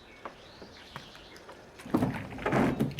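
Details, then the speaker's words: Windshield wiper on wet but clean glass with light water: judders and scrapes across the glass, worst at the end of its stroke, from a misaligned wiper arm although the blade is not torn. "Você liga o estacionário, liga o limpador e de repente ele começa a fazer esse barulho, ó, trepidar."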